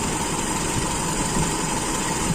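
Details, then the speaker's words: Toyota Kijang during distributor ignition timing adjustment with idle speed raised slowly. Low, uneven, shaky idle with stuttering that sounds close to dying; the cause is ignition timing advanced too far. "seperti mau mati gitu jedukjed dicari di mana yang n minat-unat g dia pasti ada jedah-jedah gitu teman"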